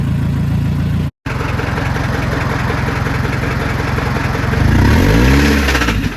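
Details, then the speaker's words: Scion tC after starter replacement, restarted with extra oil added and revved: hard steady knock about three to four per second over the engine note, like metal thrown around inside; rod knock, spun rod bearing suspected. "It sounded like there was something like it sounded like something metal was like being [ __ ] thrown around the engine. That's what it sound like."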